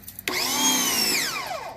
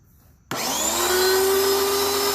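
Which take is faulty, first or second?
first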